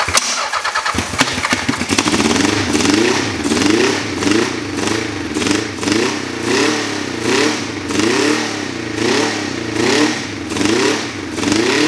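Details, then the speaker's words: Old motorcycle on first look, first start: fires up then surges and sags about once a second instead of holding steady; rough running, owner guesses timing. "Yeah, sounds like something's not right. Um I'm I'm guessing timing, so I'm going to call it a night now."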